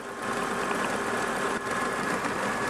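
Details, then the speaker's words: Engine idling after new fuel injector seals fixed a vacuum leak behind a lean condition, soapy water sprayed on the injectors: steady even idle, no fizzing or hiss, no leaks found. "No leaks there. I don't hear any fizzing or I don't hear any noise from the soap. That's all good right there."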